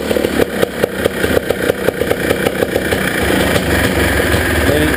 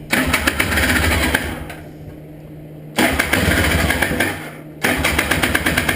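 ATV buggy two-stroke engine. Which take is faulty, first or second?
second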